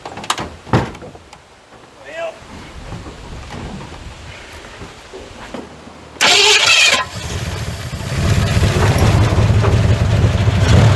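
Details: 1981 Ford F100 V8, revived after sitting 24 years and due for a rebuild: after a rough start it settles into a heavy, uneven beat with a deep knock underneath.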